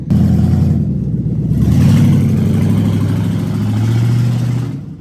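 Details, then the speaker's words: Stolen and recovered 2007 Ford Crown Victoria Police Interceptor, 186,000 miles, catalytic converters stolen: deep, loud, raspy drone swelling as revs climb and falling back; open exhaust from removed converters, motor not blown. "should it definitely should when they steal the converters well it's good news that the motor is not blown"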